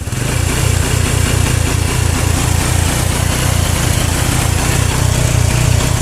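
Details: Honda Revo motorcycle running with a battery: low, uneven engine beat that stumbles and surges, stuttering (brebet) after 5–10 minutes, traced to a weak charging circuit; dim lights and slow starter suggest a dropping battery.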